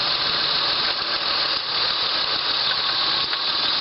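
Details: 2002 Honda Accord V6 idling in gear after a dead misfire was traced to cylinder 6 by unplugging coils one at a time (codes for random misfire in all cylinders plus evap leak); the coil was swapped to cylinder 5: steady, even idle, no stumbles.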